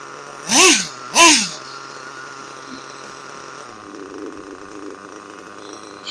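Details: Kyosho US1 nitro engine during break-in. Two sharp throttle blips rise and fall, then it settles into a steady, even idle without stalling.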